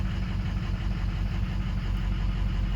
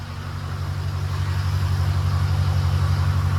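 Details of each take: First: Ford 6.0 Powerstroke diesel, just after replacing a cracked number 4 injector tip, run to burn off smoke: low drone with uneven, fluttering firing pulse at idle in gear, smoky; another cracked injector or oil in charge air cooler suspected; rough running. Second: Ford 6.0 Powerstroke diesel just after replacing cracked number 4 injector, first start after fast cranking, puff of smoke: deep, even idle pulsing about three times a second, settling smoothly, no misses; healthy.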